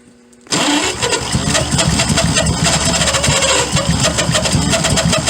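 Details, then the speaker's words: 1928 Franklin, 71 years off the road, first start with a loose carburetor; the starter cranks, then it catches with uneven popping that stumbles, staying running only a second before stalling. "Stay running there a second. Huh? It stayed running for a second."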